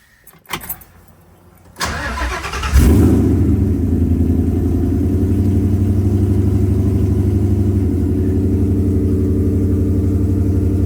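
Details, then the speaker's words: Engine after the P0352 misfire fix, with a loose ignition coil plug wire re-crimped and the Molex plug replaced so it locks properly: cranks, catches cleanly and settles into a smooth, steady idle with no stumble. Normal start and idle. "So that's, I would say, mission accomplished. Idle sounds clean."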